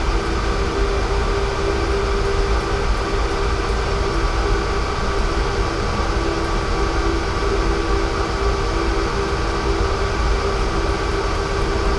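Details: Steady low rumble with a constant hum under the fan, unchanging pace; a worn fan motor bearing is suspected, not confirmed.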